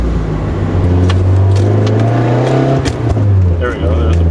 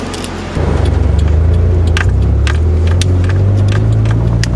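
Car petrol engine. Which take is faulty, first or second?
first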